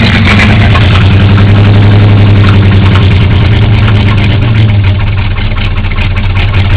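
Loud idle with a fairly regular knock, about 220 per minute, riding over the engine note; knocking noise, cause not yet pinned down.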